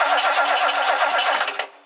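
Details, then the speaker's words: 1969 Lincoln Mark III after a tune-up and distributor cleaning: the starter cranks in a fast even rhythm for about 1.5 seconds and stops without catching. No spark found; the ignition coil is suspected to have failed and the points are giving nothing. "I got no spark this coil is in rough shape I wonder if the coil just uh totally gave out"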